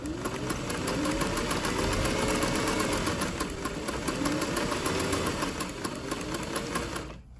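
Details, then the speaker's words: 1961 Singer 503 Slant-o-Matic Rocketeer sewing machine after refurbishment and bobbin case refitted; even quick chatter about four stitches a second with light motor whir, runs smoothly, bottom tension maybe still slightly tight. "let's see what we got i think i mighta i think we're there and i don't want to be overconfident that bottom tension might still be a little too tight but that seems passable"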